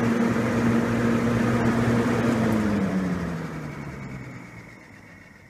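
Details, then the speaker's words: 1950s Roto-Aire model 07104 two-speed box fan, after high-speed run: whirring drops and fades within about three seconds after switch-off; owner thinks it needs oil or to loosen up. "of course it's gonna stop quick cuz it ain't needs oil or B it just needs to loosen up a little"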